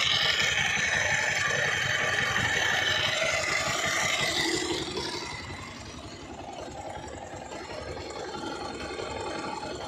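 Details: Bajaj Pulsar 220F at idle: fast metallic chatter, roughly four a second, over the idle that eases as revs drop, like a top-end rattle. Owner suspects a very bad timing chain, not confirmed.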